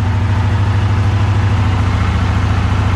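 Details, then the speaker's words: 1982 Honda CX500 warming up after carburetor work: low, pulsing idle surging and sagging nearly two beats a second, about to stall; engine dies when idle falls below about 2500 rpm, owner suspects slow jet/idle jet; tachometer unreliable. "there is however one issue that one it starts idling like below 2500 RPMs the engine just dies"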